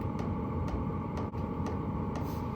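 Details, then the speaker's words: Stock pulse-type fuel pump of a diesel heater running alone, sharp even ticks about twice a second over a steady fan hum, before sound-deadening; loud ticking fuel pump, annoying enough to disturb a night's camping. "just this one running and I got to be honest if I was camping anywhere near this one uh I'd be frustrated through the night having to listen to that"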